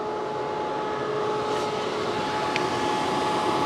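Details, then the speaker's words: Tesla Model 3 LFP in service-mode battery health test, discharging the battery, heard outside the car: steady rushing air with a constant whine as cooling fans and the heat pump run hard, rear motor possibly buzzing; normal under load. "can hear those fans going crazy you can hear the heat pump going to come around the back I'm pretty sure I can hear that rear motor buzzing as well"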